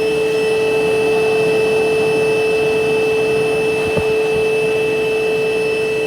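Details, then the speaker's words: Electrolux Quiet Clean central vac main unit heard downstairs beside it, exhaust venting from unit: steady even motor whine with constant airy rush, no surging or rattling; healthy. "Okay, here we are back downstairs at the main unit, and I'm going to run the system so you can actually hear it as if I'm vacuuming somewhere else and it's down here by itself running."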